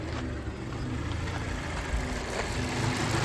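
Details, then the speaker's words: 2014 Mazda 6 four-cylinder with code P0171 system too lean bank 1, stalling: low uneven idle, rpm swelling and sagging; vacuum leak spray test showed no change, traced to a faulty mass air flow sensor. "Uh the RPM is going up and down. Uh it has a code for P 0171 uh system 2 lean bank one."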